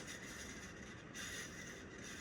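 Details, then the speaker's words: 1990 Encon 42-inch hugger ceiling fan on high speed, drawing 0.41 A: faint, thin, high-pitched whir with a dry rasp running steadily; worn fan motor bearings that need replacing. "If I were to install this, this is not going in and installed in my house until these bearings are replaced. These bearings are so annoying."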